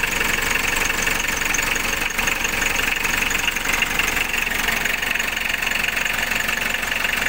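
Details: Car engine after a complete engine rebuild, started cold; steady idle with a sharp, fairly even tick about four per second riding over the engine; something in the top end ticks.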